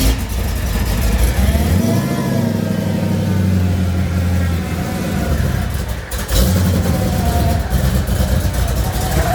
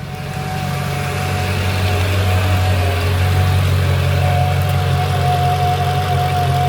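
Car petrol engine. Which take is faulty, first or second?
first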